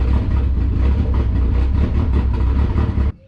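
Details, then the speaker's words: Boosted 1999 Mazda Miata NB (body swapped) on Megasquirt after installing LS1 coil packs: starts quickly, then lumpy, stumbling idle with uneven low thumps before cutting out; charging 14 V; misfire at idle, apparently one cylinder, dead coil or loose connection suspected. "well it started pretty quick so that means we're getting spark let's see if we can't keep it running [Music] it sounds like it's got a misfire to me so maybe it could be a dead coil"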